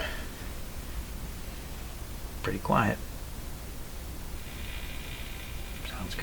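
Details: Canadian Westinghouse Model 697A radio with a replaced resistor, before alignment, antenna connected: soft steady hiss under a faint station, one of the two strongest receivable, with no crackle, hum or squeal; quiet, clean reception.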